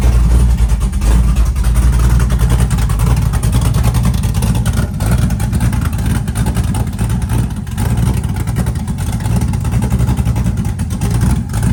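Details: Chevy truck with freshly built LS-swapped big-cam V8, started at 75° coolant temp, 65–75 psi oil pressure at idle: deep lumpy idle, loping cam chop around eighty beats a minute, no knocking; engine running fine.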